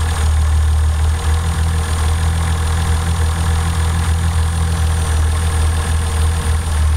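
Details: Toyota 7M-GTE engine at idle checked with Colortune spark plug: rough, uneven idle with irregular stumble; cylinder 1 misfiring.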